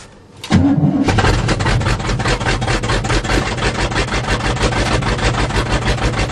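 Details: 1977 GMC 400 truck, cold start after choke pull-off rod adjustment and priming carb bowls: brief crank, then fires and settles into a steady, even idle with regular pulses and no stumbling; normal cold start and warm-up idle.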